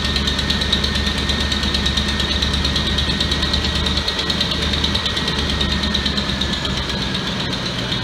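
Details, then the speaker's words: 2004-2008 Ford F-150 V8 (4.6L or 5.4L) idling after alternator and drive belt replacement, air inlet horn off: smooth, even idle with a faint steady hum, no squeal, chirp, rattle or vibration; charging 14.2-14.3 V; belt tight. "It sounds good. There's no noise at all, and there's no vibration. So it's tight."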